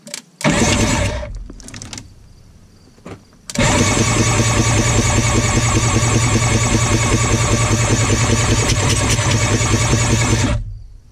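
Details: 1993 Yamaha WaveRunner 650LX, previously seized, cranked after ATF was put in the cylinders to free them. A short burst, a pause, then a long steady crank at about 3.5 turns per second; the engine spins freely without binding.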